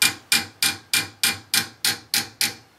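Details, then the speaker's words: Tap test on old 1.5-inch copper kitchen-sink drain pipe: nine sharp metallic taps, bright where clear, duller and more solid lower down where grease and debris have built up inside, indicating blockage. "okay so we're just down a bit more here the difference okay a little more solid there where all the crap sits in it"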